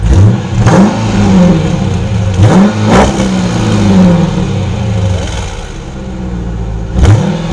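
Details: 2020 Dodge Durango RT V8 with a newly installed 2018 Corsa exhaust, first start: deep blips rising and falling in sharp bursts, crisp burble between revs; healthy exhaust note, no knocks.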